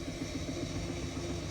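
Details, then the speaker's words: Indesit washing machine after drum bearing replacement (drum housing cut open), spin picking up to quite high speed: smooth drum hum with soft, even swish, no rumble or grinding; normal noise, vast improvement over the previous very noisy bearings. "you know speed now no obvious problems normal noise basically so being good right we're now entering uh quite a high speed still no problems amazing difference new bearings have made"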